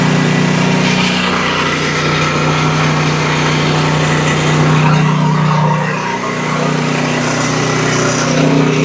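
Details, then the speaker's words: Exmark Quest zero-turn mower, Briggs Intek V-twin, after a valve guide repair for bogging and loss of power under load; a loud, steady, even drone with a firm low hum and muffler noise, smoking from one side, no misses: normal running with plenty of power. "Got a lot of muffler noise for sure. Smoking real good from that one side, but you can tell it's got plenty of power."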